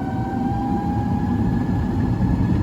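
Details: Twin-motor Sinclair C5 on road with second motor engaged: clean, steady motor whine over road rumble, pulling smoothly with no grinding or knocking; noticeable improvement in acceleration.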